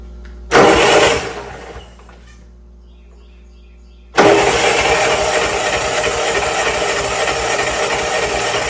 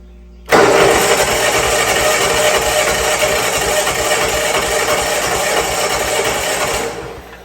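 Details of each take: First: Old Bobcat 610 skid steer with a Wisconsin engine, revived by freeing stuck valves. Cranked on the starter: a brief churn, a pause, then it catches and settles into a steady, even idle on its own. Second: Old Bobcat 610 skid steer, Wisconsin engine, cranked on the starter with a battery charger after freeing a stuck exhaust valve: catches sharply, runs loud and fairly even about six seconds, then dies away; head gasket and a stud still need attention.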